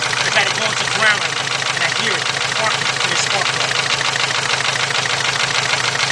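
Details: 2.0 Volkswagen (Beetle/Golf/Jetta family), fuel pump recently replaced, running badly, jump-started at idle: uneven, lumpy stumble about once a second over a busy hiss while cylinder 1's plug wire is pulled; cylinder 1 misfire, rough idle, cause not yet found.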